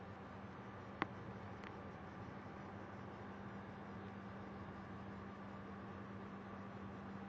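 Faint, constant low-pitched buzz in a quiet room with one brief click; something in the desktop is humming, cause unclear.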